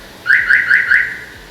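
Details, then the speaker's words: Chevrolet Aveo T300 with Starline A93 alarm being installed: after pressing the valet button, switching ignition on and starting engine, the siren gives four quick rising chirps, meaning the immobilizer bypass failed to program. "4 писка, это значит, она не прописала."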